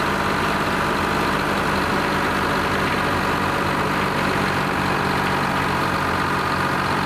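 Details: Old Lima 34 shovel, just started after a round of repairs, before greasing and digging: steady, even low drone with a constant hum and no knocks or misses; diesel idles normally and healthily.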